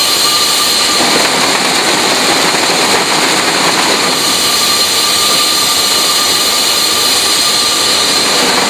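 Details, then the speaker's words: Fisher control valve cavitation demonstration with air injected into the line to cushion the collapse of the bubbles: a steady, loud, high-pitched hiss with no crackle; much less noise than without the air. "So you'll hear that there'll be a lot less damage and a lot less noise that would occur in that case."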